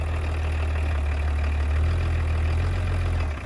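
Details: Roughly 30-year-old BMW diesel idling after being revived from a no-start. Steady, even low rumble with no knocks or misses, and no clunks as the automatic is put into drive and reverse: normal idle.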